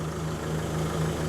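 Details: Steady, even diesel idle with a smooth low drone and no misses or knocks, after refitting a cleaned DPF; the engine is idling healthily.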